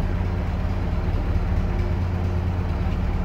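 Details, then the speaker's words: GAZ-69A with electronic ignition, first start after crankshaft replacement: low, steady beat at an even idle with no knocks or misses; healthy normal idle. "с электронным зажиганием как работает вот это номер а оно все равно работает"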